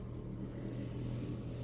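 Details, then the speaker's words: 2018 Honda City at idle, heard in the cabin: deep steady drone with strong steering-wheel vibration and no knocks; engine itself fine, flattened worn engine mounts (supports) found. "Napakalakas ng Ugong makina so damama talaga dito sa loob Tingan natin pag m para start ko naan yung parang vibration niya yan so halatang-halata dito sa manibela Napakalakas ng vibration"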